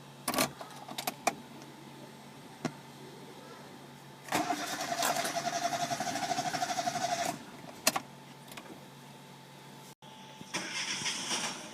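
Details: Chevrolet Spark, code P0342: starter churns with an even pulse for about three seconds and the engine never catches; crank no start from a faulty camshaft position sensor.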